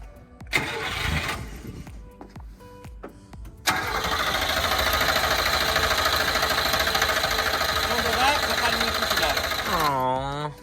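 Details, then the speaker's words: Subaru Sambar kei truck, warm engine after the idle dropped and it stalled: steady starter cranking churns for about six seconds and never catches; owner suspects a fuel fault, and the old fuel filter was later found clogged. "listen now that it has warmed up.. you can hear it starting to run poorly the idle is dropping the throttle response is bad if it stalls now it likely wont start easily again"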